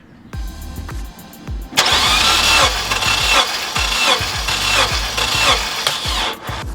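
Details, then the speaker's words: Honda Element K-series during compression test while chasing a cylinder 2 misfire after spark plug work; even cranking about four beats a second with no hesitation: normal cranking, around 180 psi. "So as we're doing this, it's good to give it maybe 5 cranks so you can hear that lobe pushover of the cylinder moving."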